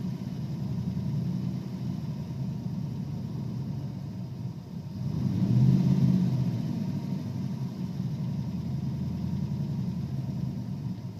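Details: 1992 Ford Ranger with 302 EFI V8: idle with low uneven rumble that surges and dips; also hesitates and chugs under throttle.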